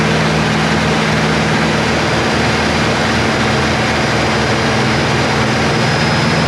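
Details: Chevy Nova Super Sport V8 after the starter was smacked, with a replacement distributor. Steady, even idle with an unbroken low rumble, no misses or knocks, and perfectly good vacuum; the choke needs adjusting. Smooth idle.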